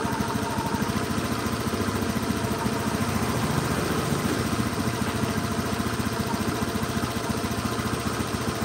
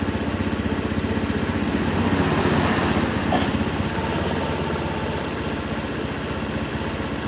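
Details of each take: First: Honda Beat injected scooter during TPS check and throttle body cleaning, not yet warm: wet uneven "brebet" sputtering idle. Injector over-fuelling gives a rich mixture; idle should be around 2000 rpm. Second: Honda Beat scooter after TPS check and throttle body cleaning, idle being set around 1500–1600 rpm: steady, even putter with evenly spaced pulses, no misses or knocks; idles cleanly.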